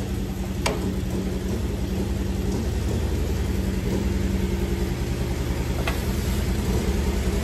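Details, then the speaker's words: 1986 Pontiac Fiero GT sitting for several years, first start after bypassing over the top: uneven puttering idle with a loping pulse about three to four times a second, stumbling and missing. Owner suspects the ignition switch, not confirmed. "I'm going to go ahead and say it's an ignition switch I mean it wasn't running radio it was puttering so I didn't know what to I didn't know what to expect"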